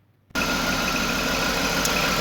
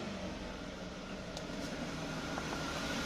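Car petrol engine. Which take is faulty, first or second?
first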